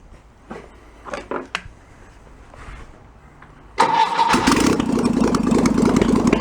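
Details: 1966 VW Bus flat-four engine from a barn, running out of the car, unrebuilt carburetor: a few clicks, then catches into a fast, even choke idle with no misses or knocks; idle drops as the automatic choke warms up.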